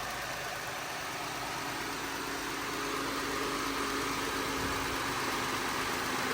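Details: Jeep Grand Cherokee at first start after maintenance and a coolant refill, with penetrating oil burning off the exhaust manifold: smooth, steady idle with an even hum and no knocks, ticks or misses. The engine sounds healthy.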